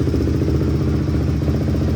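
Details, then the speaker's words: Barn-find Honda CRF single-cylinder after new chain, sprocket, OEM spark plug, rebuilt carb and adjusted valves, started after sitting a week; even, steady thump, no misses, clatter or smoke; normal running. "Let's see if she kicks over. Nice. Sounds good. No smoke. Sounds good. No smoke. Smells good."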